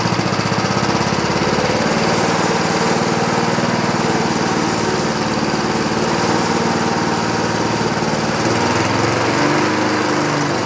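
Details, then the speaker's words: 1960s Roof push mower single-cylinder engine, no air cleaner, after a carburetor adjustment: rough, uneven running, speed wavering near the end instead of a steady governed note; surging, owner suspects too rich or missing center carb bolt, unconfirmed. "this other way around. It's I think it's getting too rich. Too much fuel."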